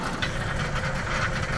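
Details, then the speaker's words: Ford BA Falcon with 390,167 on the clock, left in a paddock 8 years, idling, heard from underneath: busy metallic exhaust rattle, suspected to be a failing catalytic converter or exhaust bracket, unconfirmed, with chuffing at the tailpipe. "of course underneath the vehicle itself you can hear a lot of rattling whether that's a catalytic converter falling apart or just the exhaust bracket I'll have to check that later"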